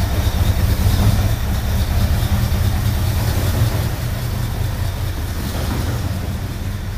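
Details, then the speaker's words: Ford Bronco engine revived after suspected fuel pump varnish troubles, revving: heavy low rumble stumbles unevenly instead of pulling smoothly, one cylinder misfiring under throttle; number two cylinder appears weak, cause not confirmed. "it's looking like we do have a weak cylinder it's going to be uh actually it' be one two number number two cylinder is weak"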